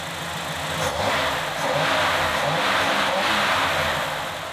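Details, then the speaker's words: 1949 Ford with its original flathead V8, running after a rebuilt carburetor, new plugs, new points and condenser, and new cap and rotor (the fault was the points): it picks up smoothly on the throttle and settles evenly with no misses, normal revving. "And now the thing's running like a dream. Listen, ready?"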